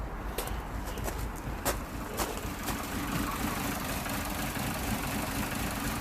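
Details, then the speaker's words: Vauxhall/Opel Corsa D Z14XEP at idle: uneven, lumpy beat with a faint sucking hiss, heard close to the engine. This is a vacuum leak letting in too much air, giving a lean condition and about 25% short-term fuel trim. It had been mistaken for a misfire. "so basically actually around the engine when you put your head really you're here really close eye area you can hear a kind of vacuum leak it's sort of a section happening there so when I start to spray so basically there is too much hair get into the engine"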